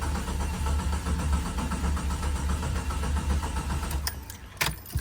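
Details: Jeep XJ after plugging the fuel pump via a jumper and reinstalling parts; steady rhythmic starter cranking with no firing, then stops; cranks but won't start, crank sensor suspected and about to be replaced.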